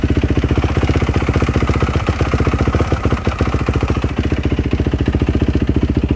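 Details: 2007 Yamaha YZ450F four-stroke, first start after replacing the cam chain and tensioner, adjusting the valves and fitting a new FMF Powercore 4 muffler: steady, evenly spaced firing pulses, deep solid exhaust, no ticking or clatter; normal idle.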